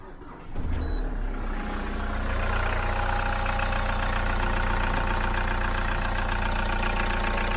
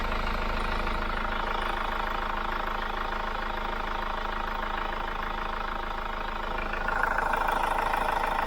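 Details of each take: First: Hyundai iLoad diesel van, about 3 years old, 39,000 km, short city trips, engine cold, before Liqui Moly intake decarb; steady low idle rumble with light rapid tappety ticking, noisier than when new, cause unclear, meter about 90 dB. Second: Cold-start idle of a Hyundai iLoad diesel van, owned about 3 years with 39,000 km, mostly short city trips, sound-meter test: steady even diesel clatter with no misses or odd knocks; healthy running.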